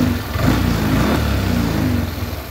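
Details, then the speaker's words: Yamaha NMAX after adjusting the loose cam chain tensioner, throttle body refitted: smooth, even idle with a steady low putter and no top-end rattle or grinding; the earlier rough noise was only the worn tensioner. "Nah sekarang suara motornya dia sudah halus kembali ya beda dengan waktu sebelum kita melakukan penyetingan untuk tensionernya atau tonjokan ketengnya"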